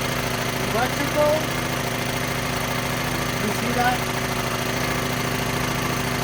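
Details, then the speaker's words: Small generator engine bought cheap, unknown condition, carburetor leaking, running on its own after start-up with a slow uneven rise and fall in speed as the governor hunts. It struggles to suck in fuel, so the engine surges from fuel starvation and the carburetor needs cleaning. "the reason it's doing that it's having a hard time uh sucking in this gas so the governor trying to kick in"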